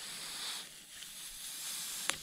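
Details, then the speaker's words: Trailer tyre sitting at about 15 psi after about 100 km on bitumen, stopped to add air; a steady, thin high hiss with no rhythm right at the valve as air escapes, a leaking tyre valve. "this trailer tire they there's something up with it sitting on about 15 psi that's holding at that butt valve can hear it"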